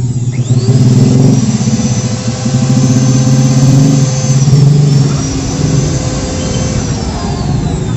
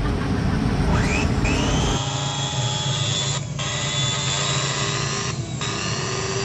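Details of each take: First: Electric wood planer that overheated after armature replacement, fixed with four shim layers between loose body halves: clean steady high whine, coasts down evenly, light spin, body stays cool; normal running. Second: Wood planer with new armature that overheated: motor spins with a rough low growl under its whine, armature still rubbing the stator because the worn lower bearing seat shim was too thin on the first attempt.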